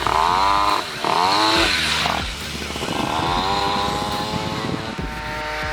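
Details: Piaggio Ciao moped, otherwise stock, with Polini Evolution, 75cc Pinasco cylinder and 19mm carburettor, on a test ride: two-stroke revs climb and sag in waves, rising faster than the pull justifies; the drive belt is slipping.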